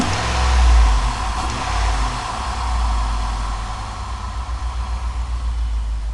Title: Cadillac STS Diagnostics The problem was bad rings causing the misfire